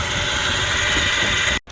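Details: 2012 Toyota Prado 4-cylinder, engine bay: loud steady running engine with persistent high whirring rattle from the vibrating lower belt tensioner pulley, not the engine itself; worn tensioner pulley.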